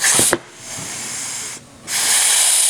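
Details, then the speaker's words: Rebuilt automatic transmission on the bench, air testing through the pump holes after resealing: loud air hiss then a short soft thud as the OD clutch applies each time; seals hold, normal clutch apply. "you can hear it a slight thud before it knocks It Off that tells us that we did a good job in resealing"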